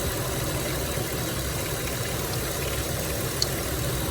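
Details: 2006 Dodge Grand Caravan 3.3L V6 after water pump replacement (leaking pump, failed bearing caused belt squeal and overheating), warm with gauge near half during coolant bleed; low even hum, faint click, no knocks or squeals; normal idle.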